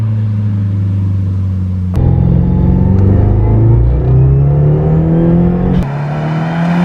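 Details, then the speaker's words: Subaru WRX, Tomei manifold, DW300 pump and DeatschWerks inline filter, after power loss; swapped back to stock coil packs, regapped plugs, new MAF and connector: note climbs cleanly through gears under load, no stutter or cut-out, temperature fine; owner suspects the aftermarket coils needed a tune. "She feels good. She feels good. This is the best it's ever felt."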